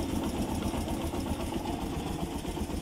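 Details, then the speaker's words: Kawasaki Barako single after top overhaul (new MTK block, valve seals; earlier ticking, hard starting from tight valve, off timing): smooth even idle about four beats a second, no tick; running healthy. "So yan. Tahimik na ngayon oh. Nung buhayin to kanina ni Ka Joel, unang buhay pa lang, nawala yung lagitik"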